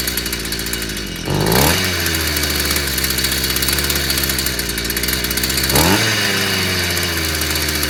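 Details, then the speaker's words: Stihl FS55 brushcutter that kept dying then wouldn't start, despite new plug and carburettor; bright buzzy two-stroke picks up cleanly on two quick throttle blips and settles back evenly. Cause was simply a clogged exhaust/muffler. "Muito bem. Problema, simplesmente escapamento entupido. Mais nada."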